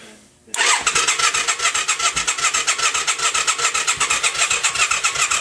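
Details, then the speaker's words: Yamaha XV535 '96 after starter clutch replacement, battery charged, in neutral: starter cranks steadily about two and a half strokes a second but never catches, occasional exhaust puffs; slower cranking on choke, more puffs with throttle held; crank no start. "If I put it on choke, it cranks over slower, but the exact same thing does nothing."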